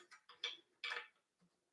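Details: Bicycle disc brake, wheel spun by hand: uneven bright swishes in quick bursts that fade as it slows, the rotor rubbing the caliper pads; the caliper is then loosened and an alignment tool slid in.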